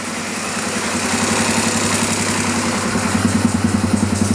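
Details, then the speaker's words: Dirt bike started after sitting a long time, choke off, possible carburettor problem: fast, high-rpm uneven idle with light rapid ticking over the exhaust beat, sounding like chattering valves, heavy smoke; cause unclear. "and it's like sounding like uh the valves are really chattery and it it's really high like the RPMs are really high"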